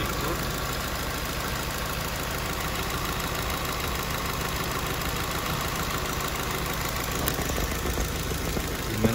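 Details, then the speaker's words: Nissan Sentra rough idle with a dull, uneven thud under the steady hum: first cylinder misfiring; spark and injector signal checked, and the cause was a failed injector. "luego baja es es definitivamente este cilindro y tiene que ser o el o la señal que le llega al inyector o el inyector tapado"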